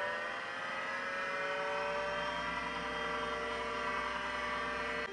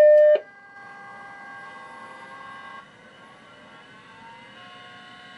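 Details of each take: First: Macintosh 512k with GCC HyperDrive 10 setup, trying a different hard drive on a power supply that may be too weak: steady layered whine comes up promptly at power-on and holds even; drive spins up normally. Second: Mac 512k with GCC HyperDrive 10 MFM internal hard drive, booting from the hard drive with no floppy, on a supplementary power supply; short start tone then thin whining tones climbing and shifting at spin-up, sounding rough and unhealthy, though it booted.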